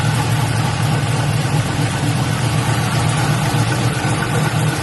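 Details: LS-swapped Buick Regal V8 after a thermostat change, cranked with the radiator cap off and no coolant yet to check for leaks: deep, steady burble at even idle, no ticks, misses or hunting; normal.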